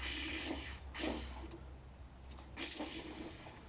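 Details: Small engine turned over by hand with soapy water sprayed on head gasket: sharp hissing bursts of escaping air with each turn, bubbles at the gasket confirming a leaking head gasket.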